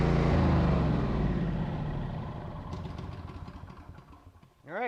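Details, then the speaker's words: Honda generator that sat about a decade with bad fuel, started with choke after fuel system repair: catches and settles into a steady, even putter of about four beats per second with no misses; running normally. "and there we have a running generator"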